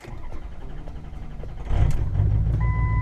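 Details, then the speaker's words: Ford 6.0 Powerstroke diesel start after replacing a bad FICM with an eBay board: brief cranking catches quickly into a steady, deep idle with a dash chime; FICM voltage holds about 48–49 V without dipping; normal start after repair. "it looks like we did the job right it's not even dipping down at all"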